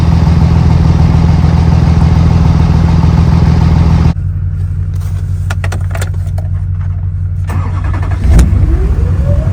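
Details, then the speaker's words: Duramax diesel truck about 15 minutes into idling after a cold start, checked for oil leaks after a big repair: a deep, even idle with a steady nine-blade fan whoosh and no knocks or misfires. Healthy. "we'll just let that nine blade sing for a little bit let the truck warm up but this truck's been sitting for about 15 minutes now at idle just sitting there so far so good"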